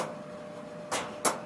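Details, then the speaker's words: Maytag Neptune dryer running: steady hum with sharp rhythmic clicking knocks toward the back as the drum turns; one of three drum fins, screwed in from behind, came loose and strikes the cabinet. "you hear that clicking so when i started to inspect the situation i can hear it's hitting back here on the side and here in a very rhythmic"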